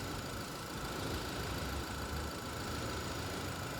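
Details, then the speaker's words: 2019 Renault Captur Life at 72,000 km, idling with A/C on: loud rough rumbling whir as the radiator cooling fan, unbalanced by a worn rear copper bushing, knocks against its own support at low speed; fan needs replacing. "ela fica assim gente a rotação de nota baixa ela fica se batendo toda então é o ventilador precisa ser substituído"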